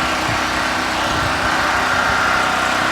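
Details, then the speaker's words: Harbor Freight Predator 4375 generator (3500 W continuous), first start in a garage with fuel on and choke set: steady, even drone from the small air-cooled engine with no knocks or surging, quieter than expected; running smoothly. "actually not that about loud in my garage"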